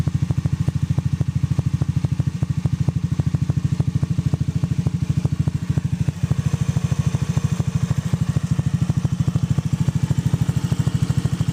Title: ZOOMER X Engine Clicking Sound